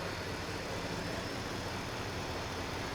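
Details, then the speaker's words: Ford 6.2 that previously stalled quickly now runs with a steady, even rumble and no stumbling once its very dirty mass airflow sensor is unplugged, pointing to a bad MAF. "i unplugged the mass airflow sensor and it fired right up"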